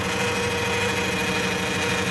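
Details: Caravan automatic with codes P0740, P0944, P1790, P0846 and P0848, never serviced. Engine idling with dipstick out, a steady high whine rides over the rumble and grows louder. Fluid is brown and smells burnt. Transmission pump whine from a failing transmission that needs replacement.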